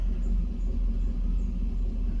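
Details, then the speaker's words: 2009 Cadillac Escalade V8 at idle after oil pickup tube replacement, oil pressure up from 19-20 to 39-40 psi: deep steady rumble with no knocks or ticking; smooth and healthy. "all right so at idle now before I did this it was at 19 to 20 psi at idle now it's at 3940 PSI so that is good"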